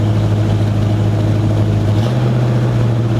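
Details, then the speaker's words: 1965 Ford Mustang V8 with carburetor and new 2.5-inch header-back true dual exhaust, cold start: deep loud burble at uneven idle, speed climbing near two seconds; rough idle caused by misrouted PCV line, later rerouted and fixed. "But it sounds good. It sounds like a car. We got to work on the idle. The idle's not quite right, just with this carburetor and everything."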